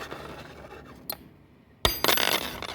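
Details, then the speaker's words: Brand-new chrome moly steel alloy compression ring for a Subaru piston being tapped: sharp metallic clinks with a bright, crisp, lively ring after each tap, a sound new ring. "and crisp, nice crisp tone. This is a chrome moly ring. This is steel alloy."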